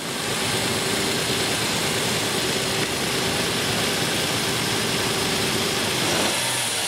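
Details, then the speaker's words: 2001 Infiniti QX4 3.5L after serpentine belt replacement with an EPDM poly-rib belt: even, steady idle with no chirp or squeal from the belt drive; noisy-belt fix worked. "then go ahead and start it up so you can listen and that way you can hear that there's no noise this fix did work"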